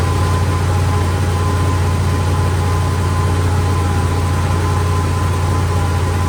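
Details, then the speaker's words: 71–72 350 engine in a split-window Corvette coupe, not run in about 30 years, electric fuel pump, ignition jumped, warming up; steady, even low rumble at high idle, no dip or hunting, idle screw all the way out, fast idle. "Idling pretty fast, but I have the idle screw all the way out."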